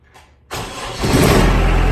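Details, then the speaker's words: Kubota F3060 diesel front-mount 72-inch 4WD mower, about 2,300 hours, cold winter start using the heater: short crank, catches within a second and builds to a steady even idle; starts clean in the cold. "So now what we're going to be doing is we're going to be starting it with the little heater thing. So let's turn that on."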